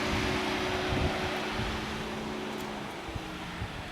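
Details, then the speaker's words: 1985 Chevy Celebrity, dead cold engine not cranked, key on: steady whooshing fan hum with even drone as radiator fan comes on every key-on; owner suspects mechanic wired fan to ignition switch. "you turn it on with the lights come on see fan comes right on every time"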